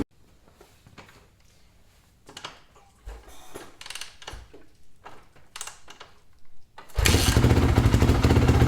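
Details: 2008 Honda CRF450R with new engine, reassembled after the kickstart was skipping teeth (owner suspects internal kickstart gears); after handling clatter it fires and settles into a loud steady run with no knocking; sounds healthy.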